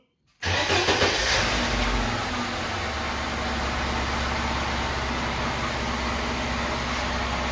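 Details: Lada Niva right after fuel pump replacement, following the pump's priming hum: the starter turns briefly, then the engine catches at once and settles into a steady, even idle with no misses. Normal start and idle.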